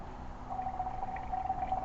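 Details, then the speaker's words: Car cooling system slowly filled from the bottom up after thermostat replacement, engine not running, hose held to ear: quiet irregular bubbling gurgles as air is pushed out of the coolant. "I can put the hose up to my ear and hear that gurgle. That's just That's it pushing air out now."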